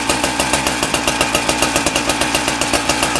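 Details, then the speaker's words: Husqvarna K970 concrete saw two-stroke after engine rebuild and carburettor adjustment: runs on a fast crisp even beat with steady pitch and no misses; normal running, though clutch drum bearings were then found worn. "good oh so we got the engine going good now the engine really good"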